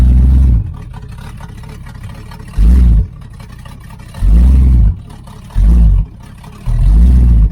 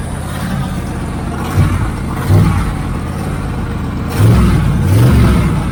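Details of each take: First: 1980 Camaro Z28 V8 with new knock-off Holley 4-barrel carburetor, choke flap opened so idle screw could lower idle, timing not yet adjusted: repeated throttle blips rise and fall cleanly; acceleration now good. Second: 1980 Camaro Z28 V8 just started on a new knock-off Holley four-barrel carburetor; fast, slightly uneven idle with throttle blips, idle speed set too high.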